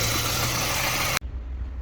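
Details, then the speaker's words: Ford petrol engine at idle after the PCV (crankcase ventilation) valve problem was fixed: even, low, steady hum. Before the repair the idle was too high and fluctuating instead of around 750–800 rpm. "der wagen läuft wieder perfekt wie ihr seht"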